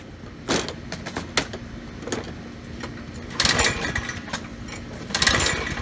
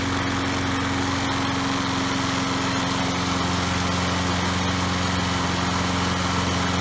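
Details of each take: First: Troy-Bilt self-propelled push mower, Briggs and Stratton 675 series 190cc engine, clean fuel tank: several rasping recoil pulls, brief whirr with no firing; no start, checking spark, plug found barely attached. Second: Troy-Bilt 3-in-1 self-propelled mower with a Briggs & Stratton 675 series 190cc engine, after a kill switch fix and new plug: steady, even single-cylinder drone at constant speed with no misses or surging; running normally.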